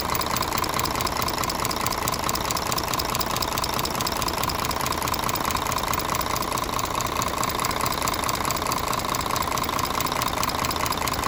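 Sharp, regular metallic ticking at about 140 a minute over the diesel idle: worn tappets and camshaft opening up valve lash.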